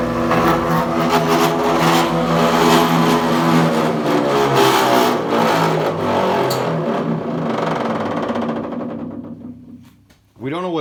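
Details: Planer jointer running: loud droning whir with wavering tones, then winds down; noise worse than before, black material shedding, belts realigned and no loose screws; loud abnormal running noise from drive, source not found.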